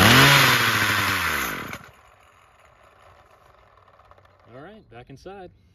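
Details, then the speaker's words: Craftsman 27cc string trimmer 316.711170 after new recoil assembly: catches and revs high under two seconds then cuts out; fires cleanly, original ignition coil confirmed good, aftermarket carb still to be serviced. "okay so we really lucked out I was really taking the gamble that the coil was still good uh it sounds like we're good there"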